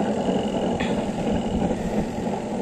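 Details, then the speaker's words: Homey twin-tub washing machine that had only hummed without turning, after repair with timer and capacitor found fine: dryer spins with steady even motor hum and rushing, no knocks or scraping; normal spin. "So ibig sabihin ayos pa po yung timer at yung capacitor kasi ang unang kiner sa atin ni ma'am baka daw capacitor o yung timer so itong dryer testingin na rin po uli"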